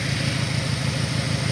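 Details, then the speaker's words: 2002 Saturn SL four-cylinder at idle, ear close to the engine: uneven idle with a recurring stumble in the firing beat; what sounds like a vacuum leak heard. Ignition thought unlikely, injector balance test and cylinder 1 injector waveform fine. "but one thing i did notice in the whole time i was working here is i could hear what sounds like a vacuum leak"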